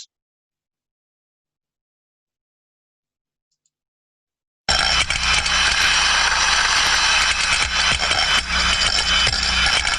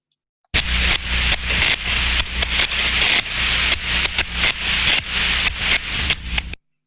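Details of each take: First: Free float steam trap heard via ultrasound: after a silent start, steady constant turbulence hiss with light metallic rattles from the floating ball, indicating normal operation. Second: Thermodynamic disc steam trap heard via ultrasound: hissing rush with rapid, uneven cut-outs; disc no longer seats against the body, constantly opening and closing (chattering), losing efficiency and risking disc damage.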